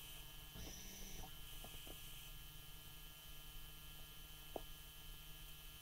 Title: BMW E60 530dA -04 Frequent wake ups with buzzing sound